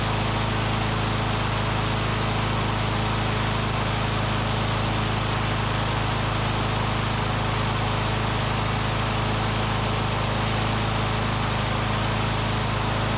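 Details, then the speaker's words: Curbside Briggs & Stratton Classic push mower engine; owner thinks debris in the fuel pickup tube cleared, and it now runs on its own fuel at a steady, even hum with no misses or surging. Normal running. "seemed like it just maybe had a little something in the pickup tube and it it picked it up because it's running on its own fuel now"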